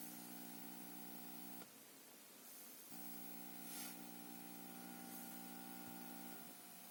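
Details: Junsun 2G+32G Android 9.0 head unit in 2003-2007 Honda Accord 7: faint steady whine and hiss cutting out briefly and returning with scattered crackle; digital noise and crackling, interference cause unknown.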